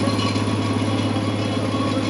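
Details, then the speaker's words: Barn-find Gleaner G combine running after about 2–3 years sitting: steady, even diesel idle with smooth low thrum, no knocks or misses; idler slightly louder and a slight chirp, considered normal. "Everything sounds good. Idler's a little louder, but that's normal. Slight slight chirp there. No big deal."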